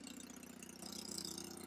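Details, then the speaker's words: Custom Triumph Bonneville T100 twin with drag pipes and airbox deleted, idling untouched during ECU tune after TPS adjusted from 0.35 to 0.62, warming toward 70 degrees: even quick pulsing, no misses. Finding: normal idle. "So you can hear it now just ticking over."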